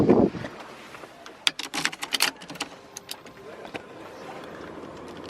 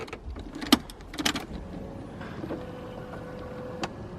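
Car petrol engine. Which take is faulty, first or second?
first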